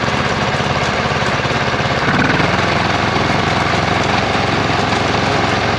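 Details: 26 HP Kohler V-twin lawn tractor. An uneven, stumbling beat with missing pulses: one cylinder has dropped out. Rich black exhaust smelling of unburned gas after a long intermittent misfire. Dead ignition coil suspected.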